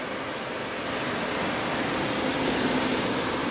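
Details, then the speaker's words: DA Integra electric cooling fan on a new 30A relay with factory OEM fan switch, engine off, waiting for the heated switch to cool: strong steady building whoosh, no rattle or whine; owner says strongest it has ever blown; normal. "you can see the fan is still sealed oning this thing like I said I don't ever remember this fan blowing this strong before"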